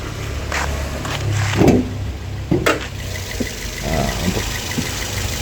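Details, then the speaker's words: Car after timing chain set replacement, engine mounting and spacer work, warm idle before test drive: even, low idle with no chain rattle, some handling knocks; vibration formerly felt in steering wheel and seat now gone, normal idle. "getarannya udah benar-benar halus sekarang enggak kayak sebelumnya"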